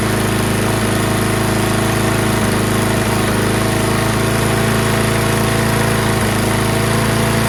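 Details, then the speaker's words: Toro Recycler mower with Kohler XT675 engine, after cleaning the fouled plug and rusty flywheel: steady single-cylinder idle with a slightly uneven beat and occasional stumbles, plus slight muffler smoke from oil residue. Rough running; owner suspects old gas left for months. "Sounds not as smooth as I'm used to, but it's probably due to the ass gas that's been in there for months."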